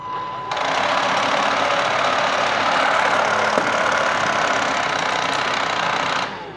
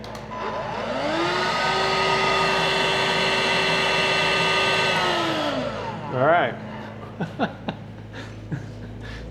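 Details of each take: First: Bosch Series 2 cordless stick vacuum, just disassembled and cleaned: high whooshing motor with light rhythmic clicking about four a second when the brush head is attached, persisting after the brush is pulled; owner suspects the motor. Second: Bosch Readyy Series 2 cordless vacuum after refitting the slipped belt: the motor winds up to a steady, clean hum, holds it about four seconds and spins down smoothly with no clicking.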